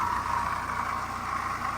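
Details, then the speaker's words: BMW 1 Series 118d diesel at idle, before the belts, pulleys and water pump were replaced: a constant-pitch whirring rattle from the belt end that disappears with the belt off; a noisy pulley. "just thought I'd show you a little before of the sound. And that's coming from the belts, because we took the belt off and let it run and you couldn't hear anything. So one of the pulleys on there is making a racket."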